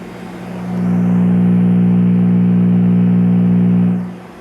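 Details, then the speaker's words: Mid-1960s Admiral five-tube plastic AM radio, after replacing the filter capacitor with a used one from a junker: plays but a steady low hum remains at one pitch; replacement capacitor may be weak, cause unconfirmed. "this is what's going on now it's playing but there's still some slight harm to it still got a little bit harm to it"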